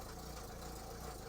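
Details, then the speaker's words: Renault Clio Baccara that wouldn't start due to an incorrectly sized starter battery, now starting: steady, even idle rumble without misses or knocks, slightly rattly exhaust noted; normal idle. "you return to the car after loading up your doorbell door bins with french bread and it wouldn't start whereas now keeping everything crossed it does"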